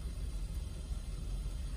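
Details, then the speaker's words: 2010 Lincoln Town Car Executive L, 4.6L V8 flex fuel, about 374,000 miles, recorded inside the cab: rough idle bouncing between 500 and 700 rpm, deep uneven rumble with each firing pulse audible; no codes. "I have no codes going on but you can hear from the inside of the cab it sounds rough"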